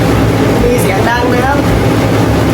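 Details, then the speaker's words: Hatari AC Classic1 evaporative cooling fan before repair, noisy and vibrating badly: a steady loud roar with a low drone and rattle that grows louder through speeds 1–4. "อาการเสียคือมันมีเสียงดังขณะใช้งานนะครับมันก็น่าจะเกิดมาจากใบพัดลมโบเวอร์นะครับด้านในกับมอเตอร์เนี่ยต้องมีอะไรเสียสักอย่างนะครับ"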